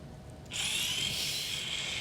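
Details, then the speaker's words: Tesla Model S rear electronic parking brake caliper driven on a bench rig: quiet, then a sudden high, steady motor whir; normal release. "now we're releasing, and you can see it scrolling on the screen."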